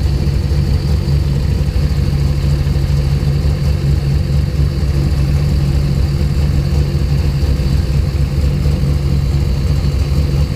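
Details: Deep, lumpy idle that never settles, with no clear knock. Spark was restored by moving the coil wiring loom. Fuel pressure was 50 after prime and over 60 during prime. The engine sneezes fuel and runs really rich; the cause is unclear.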